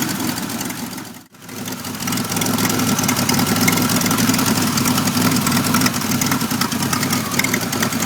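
Uneven, lumpy idle that stumbles and surges with no steady beat; the engine is running very rough at idle.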